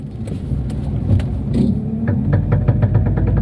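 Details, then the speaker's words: Chevrolet Cobalt turning slowly left from a stop while maneuvering; rapid dry clicking over low engine hum from a worn CV joint that warns before it breaks. "ela avisa que vai quebrar não tem jeito avisa na manobra"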